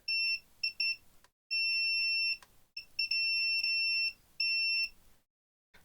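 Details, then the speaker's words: AXUS USB-C/battery keyboard with no power, multimeter continuity test on the battery lead from the battery terminal: beeps are broken at first as the probe settles, then long solid tones; the lead tests fine. "Okay. So, to be honest, that seems all fine there."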